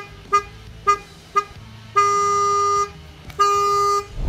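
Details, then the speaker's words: Toyota Corolla Lovelife with Mitsuba Alpha 2 dual horns: three short toots and two longer blasts on one thin tone with no second note; one horn of the pair is dead, wiring problem. "parang isang horn lang yung gumagana."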